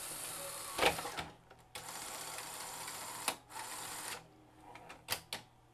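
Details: Sony SL-HF400 Super Beta HiFi VCR after repairing mechanism switches (previously had clock display but wouldn't power on): tape loads with short motor whirs and crisp mechanism clicks, no grinding or stalling; normal.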